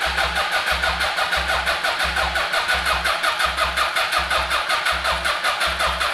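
Steady, even starter chug at about three beats a second with no wavering or catches; the engine turns over with good, balanced compression.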